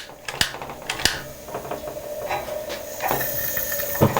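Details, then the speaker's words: Coleman naphtha camp stove being lit: lever flipped up, match lit, valve opened; a soft steady hiss settles in after a few handling clicks as fuel is drawn through the system, normal startup hiss. "there we go so you heard it hissing a bit because it had to bring the fuel through the system"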